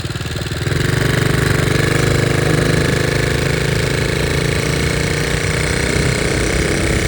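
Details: 1961 Honda 50 Super Cub 50cc four-stroke single, engine rebuilt from parts in a crate, no battery, electrics unfinished, carburetor due for replacement: catches and settles into a quick, even putter with no knocks or rattles; healthy.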